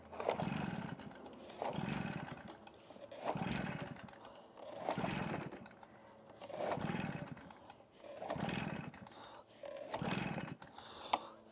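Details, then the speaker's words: Stihl BR380 backpack blower, about 14–15 years old and hard to start for years; seven pull-cord strokes about two seconds apart, each a brief whir with no catch or firing. Owner suspects the cylinder locks up. "Wow. Can't get her to go, Luna."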